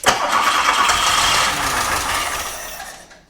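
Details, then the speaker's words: 1985 VW Golf Wolfsburg Edition barn find: cranks, catches and runs rough about three seconds on starting fluid, then dies. It has compression and spark, but the fuel system and fuel injection are not working yet. "So, we don't want to run too much on starter fluid, but it runs. So, we got compression, we got spark, it runs. Now all we got to do is get the fuel system sorted out and the fuel injection sorted out and we'll move forward from there."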